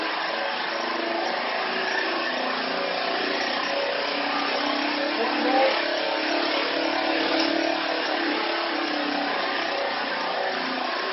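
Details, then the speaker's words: Electric motor and transmission module run by a Netgain Industrial controller: rough whirring hum with uneven mechanical roughness; owner suspects misalignment because motor and transmission were likely never set vertical to let the motor center. "that that noise inside there sounds like something's not lined up very well to me"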